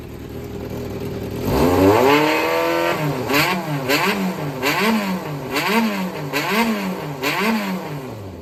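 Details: Yamaha XJR400 (4HM), a running bike sold as having no abnormal engine noise or white smoke: a smooth, even four-cylinder note climbs cleanly through repeated throttle blips and settles back evenly, with no knocks or rattles. Normal idle and revving.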